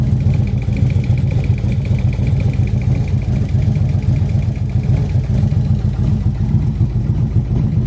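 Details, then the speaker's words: 2003 Harley-Davidson Road King bought at auction after being laid over with bent bars: steady V-twin idle, about two beats a second, with a faint light tick. Owner unsure if it's abnormal and suspects a loose piece clinking; cause unconfirmed. "I'm just curious if this noise, or maybe not even noise. I've never had a Harley before."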